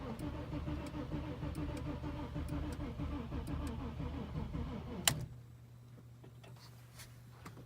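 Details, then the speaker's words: Audi with 2.7 engine, sat a month and a half; no spark, no fuel, no codes, fuses, relays and grounds checked good, battery won't exceed 12 V. Steady starter cranking about five seconds, never catches, rpm gauge doesn't move. Cranks, no start. "nothing usually the rpm sensor moves but that time it didn't it's weird"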